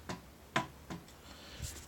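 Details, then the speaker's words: Creality Ender-3 3D printer bed: sharp isolated pops about every third of a second as the bed is rocked back and forth, from side-to-side play in the carriage; owner suspects defective bearings, and tightening the eccentric nuts stops the snapping but leaves the bed stiff. "Okay, here's the bed, and if you hear that pop, that's the bed rocking back and forth."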